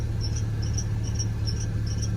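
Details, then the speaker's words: Mercedes-Benz W204 C300 idling: quick, high cricket-like chirps over a low steady hum from a squeaky drive belt. "the squeaky belt you can still hear the little squeaky belt"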